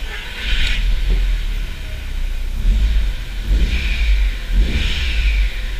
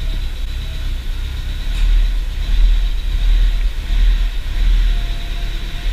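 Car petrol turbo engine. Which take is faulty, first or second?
second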